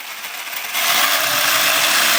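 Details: Harsh rising gritty grind once throttle comes in on a Savage Flux HP RC truck, steady at speed with wheels lifted off the ground; drivetrain source undetermined, owner unsure of cause.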